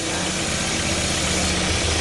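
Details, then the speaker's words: Honda Prelude H22A engine idling evenly and smoothly with a low rumble, no misses or ticking, after replacing the distributor cap and gasket to fix leaks; timing issues also suspected beforehand; normal idle. "It sounds better."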